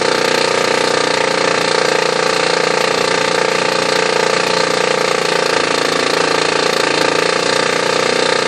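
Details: Oki Data MB480 printer, new replacement unit, showing errors and jamming with no obstruction: loud continuous grinding and rattling with fast irregular chatter; mechanical drive fault inside the printer.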